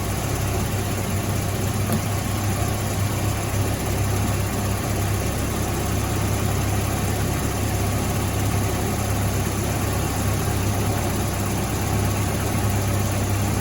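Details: 1985 Volvo 245, B230F with LH2.2 injection: low idle with uneven, lumpy beat and stumbles; cylinders one and two running cooler, misfire from clogged injectors and a leaking fuel pressure regulator.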